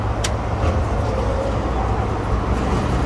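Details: Commercial kitchen vent hood exhaust fan, new 208/230 V three-phase belt-and-pulley motor after replacement, drawing about 3.5 A and 3.3 A on two legs: steady even rush of air over smooth motor hum, no knocks, rattles or squeal; normal running.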